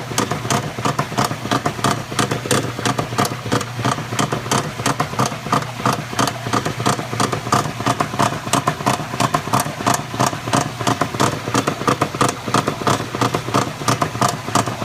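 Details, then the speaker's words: Maytag Centennial washer agitating: loud clattering knock about 90 per minute following each agitator stroke; owner suspects a bearing or similar worn part in the agitate drive, exact cause unknown. "I know it doesn't just generally make this noise it has to be something bearing or something"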